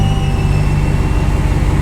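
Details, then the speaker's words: RAM 1500 regular cab with a supercharged 6.2L Hellcat V8 swapped in for the 5.7 Hemi, transmission not yet at temperature: a steady high squeal over a rough idle in park or neutral that stops in reverse and drive. Something is suspected to be free-spinning inside the transmission. "all right i'll let this thing squeal until the transmission gets up to temperature watch this is how you know it is transmission so we're in neutral right now or park"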